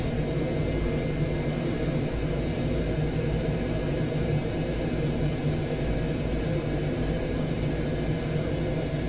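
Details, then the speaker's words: Heatline combi boiler after repair of a faulty flow-switch hall-effect sensor, damaged by a flue-pipe seal leak and dried out; hot tap open, burner on full rate: quiet steady roar, low hum, faint fan whine, no popping or cycling. Normal burner operation. "boil is back on obviously it's working on full rate so it's not going to produce much condensation"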